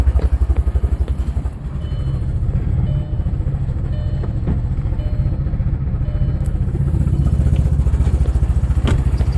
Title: Audi B5 S4 cold start misfire